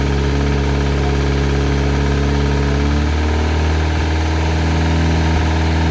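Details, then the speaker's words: Classic Mini turbo at first start-up, idling: faint, fairly quick light knock felt on the rocker cover, sounds almost like a big end but located at the top end; cause suspected, not confirmed. "can you hear it Knocking a little bit front sounds almost like a big end gone it's on the it's on the rocket cover"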